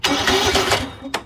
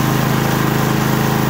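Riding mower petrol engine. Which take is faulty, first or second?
first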